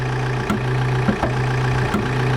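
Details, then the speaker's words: 2009 Vauxhall Insignia 2.0 diesel at idle: a steady low buzzing drone under the diesel clatter comes from an under-bonnet solenoid that vibrates when touched and needs replacing. "so if I open the bonnet and then touch this solenoid here the whole thing is vibrating so that's what needs to be changed"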